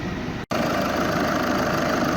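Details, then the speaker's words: VW 2.0 TDI after timing belt job, warm: smooth, even diesel idle with a soft steady clatter, no knocks or misses, heat circulating and no leaks. "there's no leaks which is good apart from obviously this leaking that i put in there engine sounds good i think we're good to go test drive next"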